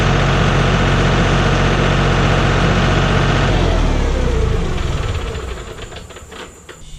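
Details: John Deere 5065E tractor diesel, first cold start after replacing starter and solenoid: settles into a firm, even idle for a few seconds, then winds down and stops, no knock; normal idle.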